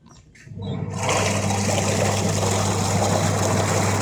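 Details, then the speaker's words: Super Asia twin-tub washing machine, wash side, after repair for slow motor speed by fitting a new capacitor and changing the belt: steady low motor hum with water churning, now building good pressure, running forward normally; normal wash motor run. "यह आपके सामने machine चल चुकी है capacitor भी लगाया है और इसका बेल्ट भी चेंज किया है सिर्फ इसमें इतना ही फाल्ड था"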